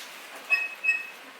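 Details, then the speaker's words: Mercedes G63, squeak heard inside over bumps: two short high chirping squeaks a third of a second apart from hood rubber bump stops that wore through thick tape and rub on metal; fixed with electrical tape. "the problem comes from these rubber touch points so when you close the hood it closes here but then if you look closely there is a special heavy like a thick tape it rubs through it and then it rubs on the metal causing the noise right here"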